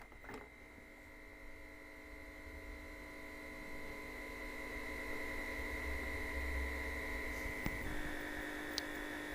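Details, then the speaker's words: Old television warming up while testing a Nintendo NES repair: thin steady high-pitched whine over low mains hum, growing slightly louder as the picture comes up; source not identified. "I was certainly making lots of noises as the pictures coming up I'll take it you can hear those noises can you"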